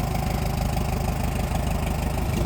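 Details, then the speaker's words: Old tractor parked for years (Farmall Super MTA or John Deere MI): low, even chugging idle with steady firing and no misses or knocks; running healthy despite other small issues. "Well, I mean, there's lots of little things wrong with it, but you know, it's running."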